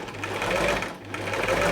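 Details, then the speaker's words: Thrift-store Singer 328P sewing machine at first power-up before oiling: motor spins strongly, but the mechanism gives a dry, rattly chatter swelling and fading each cycle; needs oil. "Yeah, it needs oil. Nice and strong. Motor's strong."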